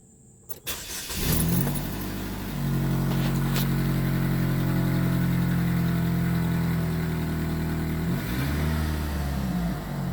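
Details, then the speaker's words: 2011 Chevrolet Malibu after throttle body, sensor and gas pedal replacement for loss of power and service ESC: quick crank, clean catch, steady even idle with small blip; runs properly, check engine light still on. "Idling about normal there. Check engine light's still on."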